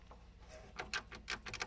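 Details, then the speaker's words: Irregular light plastic clicks and taps from the latch of a 3D-printed R2-D2's electronics board rattling loose in its mounting hole, because no rubber grommets have been fitted yet. "so you can hear the latch rattling around um I did go to a hardware store hoping I could find a pre-made grommet that I might be able to push through the hole and it would stay in place and I would fit this latch"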